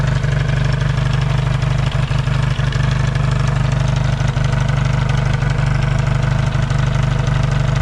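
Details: Yamaha XS650 twin after fixing its burning-oil problem, cold start in an unheated shop: steady, even lumpy beat about three a second, no misses or knocks; clean warm-up idle, no longer smoking.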